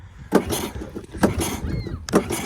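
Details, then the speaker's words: 1983 Honda ATC 200S being pull-started: slow cranking with a hollow puff about every second as compression leaks out. A bad intake valve is suspected and likely needs a valve adjustment. "that's what it sounds like at least it sounds like the compression's coming out there"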